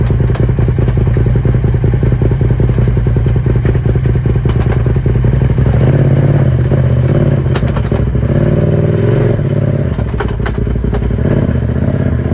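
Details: Polaris RZR XP 1000 Turbo running with heavy irregular clattering and thumping over the engine drone; something loose in the driveline, owner unsure whether transmission, drive shaft, differential or clutch.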